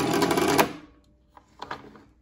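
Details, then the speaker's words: Classic Simplex vibrating cast-iron fire alarm bell before adjustment: a harsh half-second rattling buzz, then stray clicks, the hammer chattering rather than ringing cleanly. The bell works but the adjusting screw needs tuning. "yeah we can see that the the Bell is working you can hear the hammer going off but I think what we need to do is just turn the screw here and just kind of tune this thing in and give it a adjustment"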